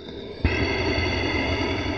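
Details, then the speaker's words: Harsh, gritty whirring heard through a mechanic's stethoscope touched on a Toyota Camry's belt tensioner pulley: rough, worn bearing; the alternator sounded quiet and smooth by comparison. "no that's the tensioner hear that that sounding rough"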